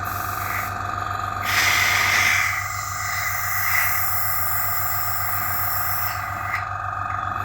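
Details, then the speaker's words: AS196 airbrush compressor before repair, regulator 30 psi, airbrush spraying; even buzzing hum with steady fast pulse and some airy hiss while filling toward 4 bar cut-off (auto start 3 bar); pumping normally. "So switch the compressor on and it starts filling up as normal."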